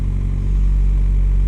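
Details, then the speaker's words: VW Golf Mk5 TDI diesel, turbo actuation basic-setting test via scan tool at 82% charge control duty cycle: engine climbs smoothly to a raised, steady rev with no whistle, flutter or hunting as variable turbo vanes cycle fully open and closed; normal. "I think it's just the vanes, the variable sort of displacement vanes in the turbo that it's motoring there via sort of an actuator."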